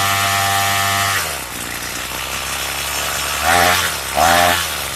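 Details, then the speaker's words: Craftsman two-stroke weedeater with a trimmer attachment fitted for drag, idle screw set low; high steady buzz sags abruptly, blips twice, climbs back slowly, like stalling before it kicks in. Hesitation on acceleration, cause unconfirmed. "The only issue I have with it is when you give it gas, it kind of, you know, it kind of like acts like it's stalling before it kicks in."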